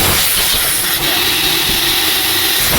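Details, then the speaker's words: Exhaust pressure governor from Volvo FMX 440 truck, bench-fed 10 bar shop air: loud steady hiss, no valve click or movement, air leaks out so the valve never actuates; cause of weak exhaust brake. "Padahal angin kompresor workshop itu kapasitasnya 10 bar ya, presernya 10 bar, itu tidak gerak sama sekali karena sudah terlanjur bocor dari bagian sini tadi ya."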